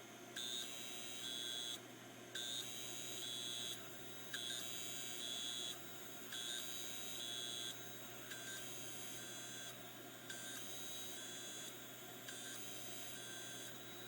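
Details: Failing hard drive with stuck heads (stiction): short high-pitched beeps in repeating bursts over faint whine, no normal spin-up; bearings also noisy.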